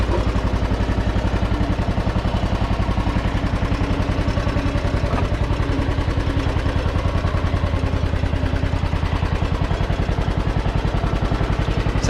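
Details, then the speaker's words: John Deere with 1,173 hours: steady, even thumping at constant speed with light clatter on top and no misses or knocks. It runs healthy and sounds good for its hours. "good for having uh 1,173 hours on it"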